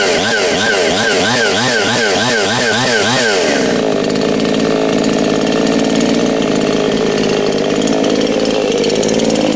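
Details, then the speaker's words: New ANBULL two-stroke chainsaw, first start, breaking in: buzzes up and down with the throttle, clean steady firing with no misses or rattles; healthy running. "i'm just gonna let it sit there maybe burn through a half a tank of fuel and just kind of let it get acclimated to running"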